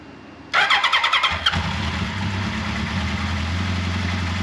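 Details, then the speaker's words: 1979 Kawasaki KZ1000 Shaft first start after valve clearance check, carburetor cleaning, intake boot reseal and head bolt re-torque, primed carburetors: starter churns about a second, catches cleanly, steady even idle, no bad noises; normal start and idle. "all right as you can hear no bad noises everything sounded good"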